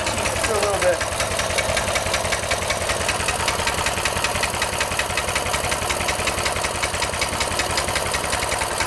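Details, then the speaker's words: Small single-cylinder engine with newly installed 22mm Mikuni carburetor, after raising idle: steady even putter about two and a half beats a second, no misses; normal clean idle. "Right there. That's good. That sounds nice."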